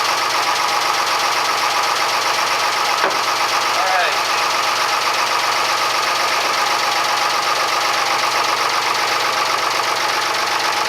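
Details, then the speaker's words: Fisher 30 boat diesel after water pump impeller and thermostat replacement, thermostat cover repair and unclogging the exhaust elbow: steady, even idle, no knocks, misses or surging, oil pressure up right away, strong cooling-water flow overboard; normal idle. "so good news is that the cooling water is coming out the side of the boat in much higher quantities that I have ever seen before"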